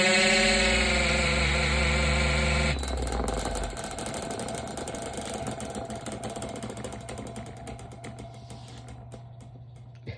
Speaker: did you guys just hear that that is an indication of the blade rubbing up on the shaft